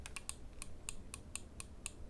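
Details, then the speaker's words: Glorious Model O gaming mouse: sharp, crisp clicks about four times a second as the side buttons actuate under grip pressure alone, without being pressed; unintended side button actuation. "Right, so I'm not even pressing the buttons. Do you guys hear that clicking right there?"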